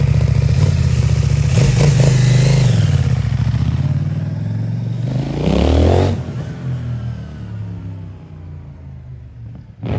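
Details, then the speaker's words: New 2024 CFMOTO 800NK (100 hp) with stock exhaust, first start from the crate: crisp throttle blips that climb and fall back cleanly to a smooth, even idle without misses or rattles. Normal exhaust note. "That sounds awesome. Yeah. The stock bike usually don't sound that good. Yeah, that sounds great."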